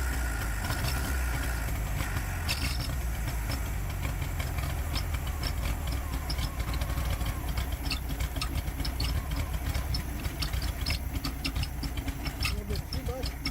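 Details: 1969 VW Beetle that stopped running, with a rebuilt Solex downdraft carburetor installed. It cranks, catches, then stumbles rough and uneven with sputtering. A timing light showed intermittent spark at the plug, so coil, rotor, distributor and points are suspected.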